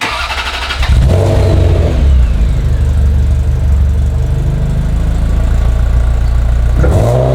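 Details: Ferrari 348 that had surged and idled very high, after new O2 sensors and new exhaust bungs: it catches within a second and settles into a smooth, even idle with a steady low rumble and no surging.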